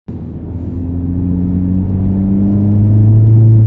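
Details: R56 Mini Cooper S after a few miles' driving following Christmas lay-up that left front brake discs rusted, likely from road salt, after scraping, grinding and knocking: smooth pull-away, steady low drone rising with road speed, no scraping or grinding now.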